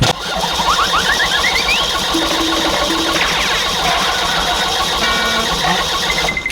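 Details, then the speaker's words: Kia Bongo Big Eye diesel no-start: starter whirs and cranks steadily, pitch rising, never fires; glow plugs and fuel checked, mechanic suspects fuel shutoff valve stuck, starving injectors, next trying its removal. "So, susubukan naman natin ngayon tanggalan ng shoot off to. Baka naka-stock up close to or stock up on siguro ganon."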